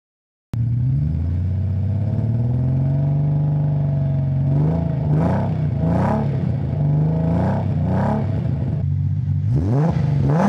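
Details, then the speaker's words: Nissan 300ZX (Z32) V6 misfiring, rough lumpy revs rising sluggishly and slow to respond to throttle, one cylinder not firing; cylinders then cut one at a time with a Consult tool to find it. "you can kind of hear the engine sounds rough and it's also slow to respond to the throttle"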